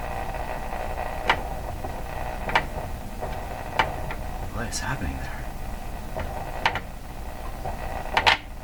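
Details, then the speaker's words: Canadian Spartan Model 5542 tube radio during audio circuit restoration: sharp irregular clicks through quiet hiss roughly every second, coming from the speaker, not mechanical; intermittent fault clicking. "those sounds are there nothing it sound mechanical they sound like I'm banging on something that's a speaker making that sound like clicking like it's coming out of the speaker"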